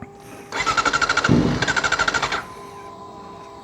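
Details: Kawasaki ZX-4RR that died mid-ride after shifting into second gear: two quick starter runs with a fast even chug, both stopping with no firing; cranks fine but won't start.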